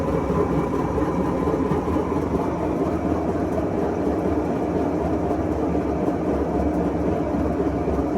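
A heavy, continuous rumble like a passing train through the spin means the drum bearings are worn out.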